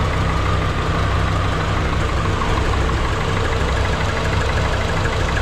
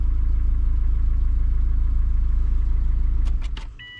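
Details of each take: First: 2003 Subaru Forester engine just swapped in, first start with no coolant: loud low idle with an uneven, lumpy pulse and tapping over it; runs rough, owner attributes it to the check engine light issue. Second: Freshly installed 2003 Subaru Forester engine on a cold day, fired first try after a loose plug was seated: steady, even idle pulse around four beats a second, no misses or ticking, clean shutdown. Healthy, no oil leaking at the head gaskets.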